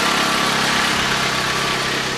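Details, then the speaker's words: 2008 Jeep Compass 2.4L at idle after replacing the overrunning alternator decoupler pulley: smooth, even idle with a steady hum, and the previous whine is gone. "it's actually very quiet that doesn't have that slight wine that you may or may not have heard everything appears to be okay"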